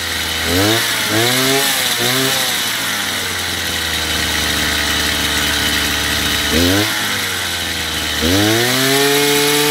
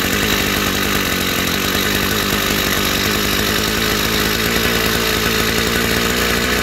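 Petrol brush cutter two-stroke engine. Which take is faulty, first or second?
second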